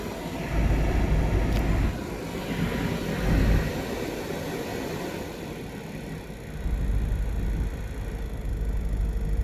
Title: 2017 KL Cherokee Fans making loud noise